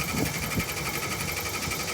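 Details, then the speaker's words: Air conditioner outdoor unit, cover off: fan spins with a thin high tone but no compressor hum; compressor not starting, suspected broken wire and burned-out capacitor, to be replaced. "The compressor won't start if this wire is broken. I think I hear the compressor humming. It won't start."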